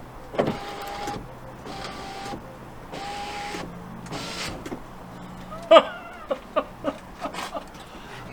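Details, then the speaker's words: Alfa Romeo 159, door window after fitting a cheap second-hand replacement window motor: several smooth, even motor whirs about a second each, no grinding or straining; window motor healthy. "Then plug it all in, bolt it all in, and we'll test this. This could be the first time this window works in my ownership of the vehicle."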